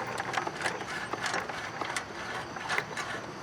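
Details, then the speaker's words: Craftsman riding mower, about 2010, 19 hp Briggs & Stratton single-cylinder, engine off with shroud on, flywheel turned slowly by hand: faint irregular scraping ticks from inside the shroud, something rubbing; found to be loose flywheel magnets, fixed by re-gluing. "and there's noise. And I've turned a lot of engines like this, and something in there is rubbing or making noise, and I'm starting to think there's something going on inside this engine that needs our attention."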